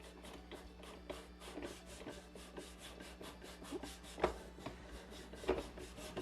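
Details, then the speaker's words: Scope mounting: lapping bar worked back and forth with lapping compound in scope rings that are slightly too tight, slow gritty rasping strokes under a stroke a second, shaving metal and paint off the rings. "so you can hear that grinding they got it just a little too tight"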